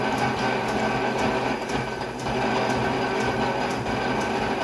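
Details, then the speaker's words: Lathe drilling a mini excavator pin with a larger drill, no longer in the center-drilled hole: an even, steady cutting hum with a light regular tick about four times a second, the drill no longer twisting; smooth cutting without chatter. "this is going a lot smoother sounds a lot better i don't know how it sounds on camera but [Music] it's not twisting on that drill so bad much much much much much better"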